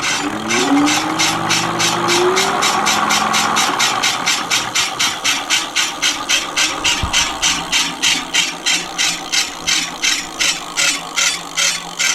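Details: Mate X 20x4 fat tyre e-bike, rear hub motor that failed: harsh gritty rasping pulses about three a second as throttle spins the wheel; owner suspects brake, then gears; hub motor grinding noise.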